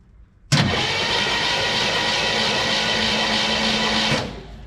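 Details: 1963 Chevrolet Impala SS after sitting 35+ years, spark check in progress: steady whirring crank for about three and a half seconds that never catches; no spark found, distributor to be inspected; crank no start.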